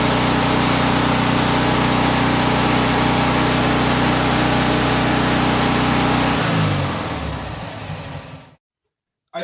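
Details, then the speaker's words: Single-cylinder tractor engine with magneto, cold start, running fast and even with a steady beat, then winding down smoothly and stopping; sounds healthy, the sound changes once warm. "so when it's cold it's got that like a kind of low-key kind of sound after it warms up it sounds a little different"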